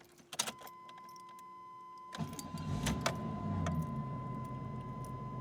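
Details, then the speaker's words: 1991 Chevy Lumina Euro, early GM 3.1-liter, hot engine, started in the shop; keys rattle, then an even, steady idle without knocks or stumbles, normal idle. "Runs good. Sounds good too."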